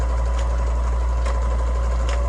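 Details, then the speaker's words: Kenmore 385 sewing machine: faint light clicks about every second over a steady hum as the reverse lever cycles underneath; the nylon eccentric gear on a metal shaft needs oil or it hangs up; normal reverse operation. "That is down underneath. That is that lever cycling. There's a little nylon eccentric gear on a shaft, so it's nylon on metal, and it has to have that oil to get it to slide back and forth, and sometimes it'll just hang up."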